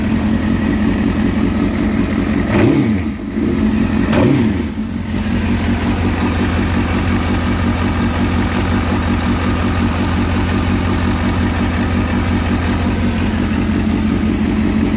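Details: Motorcycle with 95,000 miles after exhaust port gasket replacement (owner suspected worn gaskets caused loud exhaust sound): starts, two quick blips, then steady even idle with no exhaust puffing or ticking until shutoff; normal idle after repair.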